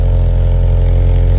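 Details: 1987 Toyota AE86 Sprinter Trueno cold start: loud even low idle, steady with no knock, tick or miss and no exhaust smoke; healthy engine.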